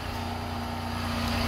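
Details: Car after cleaning corroded battery terminals, battery found not working (clicking no-start): steady, even idle hum with no clicks or misses; alternator charging about 14.5–14.6 V.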